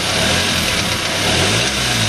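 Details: Suzuki Aerio with spun rod bearing: harsh hard rod knock buried in loud rough-running engine; engine was replaced under warranty.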